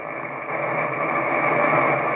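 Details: Homebrew receiver using an Si5351 VFO/BFO and SBL1 mixer, after decoupling, high-side injection and output filtering changes: constant hissy, muddled mid-range noise with no clear tones, suspected unwanted signal getting through; source unconfirmed.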